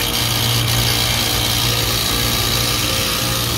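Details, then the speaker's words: HVAC condenser unit with a newly installed condenser fan motor, first startup: a loud, harsh rattling roar with no clean hum, so the compressor sounds distressed. The contactor looks possibly burnt; cause suspected, not confirmed. "we're gonna fire this guy up and see how it operates well that certainly doesn't sound good"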